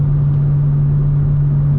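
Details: BMW M2 with M Performance exhaust, in-cabin at highway cruise, with Active Sound Design disabled. A heavy, constant low boom that never wavers and is unchanged by ASD. Exhaust drone from the exhaust design.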